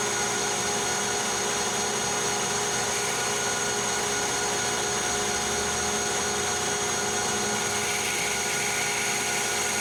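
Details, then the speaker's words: Lathe facing hardened and tempered 4140 chrome-moly steel at high spindle speed, 0.025 depth of cut; even continuous hiss without chatter, blue turnings rather than chips, finish clearly better than annealed; normal cutting. "sign sounded like it was cutting better we were getting turning rather than chips yeah the Finish is definitely better here"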